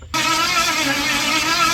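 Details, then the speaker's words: Ford 460 big-block, formerly rust-seized, pulled from an RV, carbureted: steady even starter whirr with no firing pulse at all; spark present earlier when changing carburetors but none now; owner considers rechecking timing. "Not even a damn chug out of it. I better recheck my timing or something."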